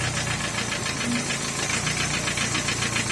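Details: Opel Ascona, originally a 1.6 car fitted with a block and pistons from a 1.8, idling: sharp, regular metallic knock of about three to four beats a second over the engine; internal engine knock at idle.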